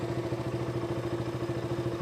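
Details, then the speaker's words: KTM RC 200 that stalled at idle and when pulling the clutch, heard after fixing a loose, badly seated part: single-cylinder idle even at about twelve pulses a second, no RPM variation, and the earlier sparking sound is gone. "Variation issue ഒന്നും കാണിക്കുന്നില്ല. സൗണ്ടാണെങ്കിലും നിങ്ങൾക്ക് ചെക്ക് ചെയ്യാം. പ്രശ്നം ഒന്നും കേൾക്കുന്നില്ല."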